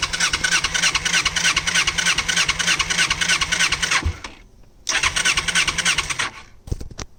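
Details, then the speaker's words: 1988 Kawasaki Ninja 250R 250cc inline twin, possibly first start in about 14 years, choke partly on: starter chugs, engine briefly catches then dies, twice; fuel petcock off reserve, carbs starved of gas; catches then dies from fuel starvation. "all right uh it keeps dying it doesn't have the gas"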